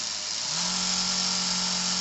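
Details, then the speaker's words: Cheddar Pintail live steam unit, about 2 cc, apparently original, first test: steady hiss with an even hum settling in after half a second as it speeds up with good torque; runs smoothly. "il marque même bruit nickel il a vraiment 1 1 là on dirait qu'il va plus vite très vite avec un couple à tous"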